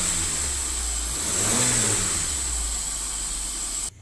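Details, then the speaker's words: Hyundai Trajet after a no-start repair of starter wiring: engine revs up and settles smoothly with open-filter intake hiss, no knocking or rattles; runs healthy. "mesinnya gak berisik jalur ya karena kita dalam Open filter"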